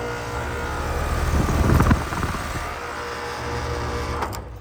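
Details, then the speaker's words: Flood-submerged outdoor AC unit not turning on: coarse, steady electrical buzz with low hum and brief louder surge from a completely fried contactor; fix is replacing the contactor and the 30+5 round capacitor. "so what you're going to do is this thing right here is making a lot of noise and uh this is completely fried so you're going to want to replace these two"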